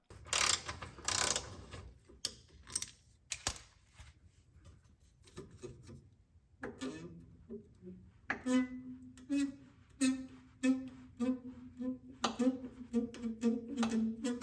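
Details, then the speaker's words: 8th-gen 2009 Honda Civic: dry, groaning creaks come in bursts as the sway bar is twisted by hand; the owner suspects dry sway bar bushings cause the creak over bumps, before lubricating them with silicone spray. "I'm pretty sure that's the noise because I was turning it and that's the noise I hear when I go over bumps"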